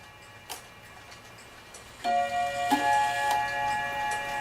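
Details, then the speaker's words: Dutch Friesian tail wall clock after bushing repair: ticking then lingering gong strikes sounding in reversed order because the single and double gong rods were installed in swapped positions. "this single Rod here it's supposed to be down here this double rod here is supposed to be up where the single Rod is and so that's why it sounds like it's ringing backwards"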